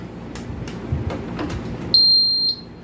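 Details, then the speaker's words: Electromax 9000 BTU air conditioner control board, repaired after power fault with burning smell, bench-tested with fan and sensors connected: single clear half-second beep on power-up; board powers up normally, though it then shows E6 fan error. "And guys, the fan is running. And the board is on."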